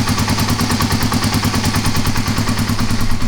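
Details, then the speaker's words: Kawasaki KLR250 with about 4,500 original miles, cold start on choke with no throttle; quick, even single-cylinder thumping at fast choke idle with no stumbles — normal cold start and run. "So, it's a lot better than it's been. So, cautiously optimistic. >> Sounds nice. >> Sounds good."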